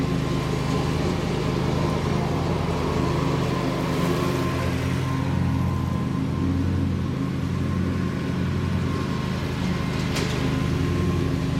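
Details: Bobcat Predator Pro zero-turn, Generac engine, repaired for losing power in tall grass, blades sharpened and balanced, mowing: strong even note that doesn't bog or sag under load; healthy, believed fixed.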